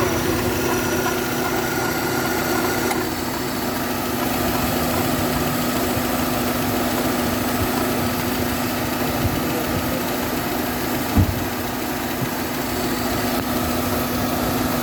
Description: El compresor de aire acondicionado está fallando y produciendo un rozamiento excesivo al acoplarse, que provoca un aumento de su temperatura y podría provocar la rotura de la correa e incluso un incen